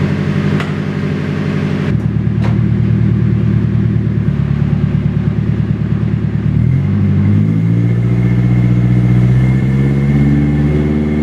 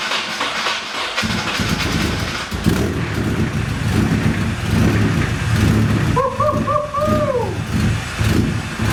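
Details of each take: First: Nissan 240SX, first start in 2 years after rebuilding onto a different chassis, with a temporary heater hose fitted: the engine runs with a steady, quick, even beat and picks up cleanly on a throttle blip. Loud and raspy but healthy. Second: Nissan 240SX first start in 2 years after rebuild, injectors just reinstalled: cranks, catches after a second, then lopes and stumbles unevenly; rough running, heavy leak later found from turbo oil feed line burned by starter short.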